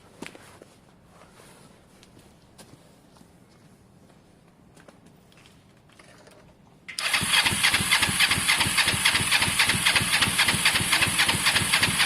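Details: Motorcycle under rebuild (Honda SH125 or Kawasaki ER5): the starter cranks steadily at about four turns a second but the engine never fires. Spark, fuel, a clean carb and compression are believed present; caked spark plugs, fitted only hand-tight, are suspected.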